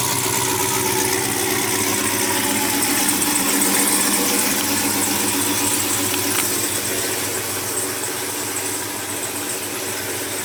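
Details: Brand-new supercharged GM LT4 V8 with CVF pulley kit, swapped into a 1971 Chevy Chevelle convertible with new exhaust, finished build: a deep, steady burble with a crisp, even exhaust note, no knocks or misses. Smooth, normal idle.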